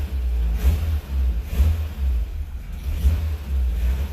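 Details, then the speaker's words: 1975 VW Scirocco, first start after 34 years of storage: the cold carbureted engine surges in rough bursts, kept alive only on throttle without choke. Battery light on, oil pressure present; the choke was then closed manually. "needs a bit of a choke it's running no charge battery lights on it's running oil pressure I think we need to put the choke on"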